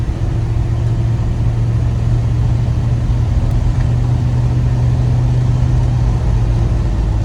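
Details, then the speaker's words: Early-model Chevrolet square body truck with automatic, strong motor, on a road test without air breather: steady, even drivetrain drone under light load through second into third, no flare, clunk or slip; TV cable set right, shifting normally. "There's third gear. And then somewhere along the line, if I get up enough speed, it'll slip on into fourth gear. You can barely feel it go."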